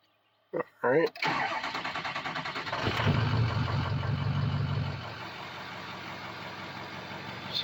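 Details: Diesel truck after all 8 glow plugs were replaced and fault codes cleared. Catches after a short crank and settles into an even, steady diesel idle with no misfire or knock. Normal cold idle.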